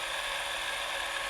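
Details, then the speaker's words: Eumig 128 XL cine camera after maintenance and lubrication: light, even mechanical whir with steady high buzz and no squeak; drive running smoothly. "Вы уже слышите, ничего не скрипит."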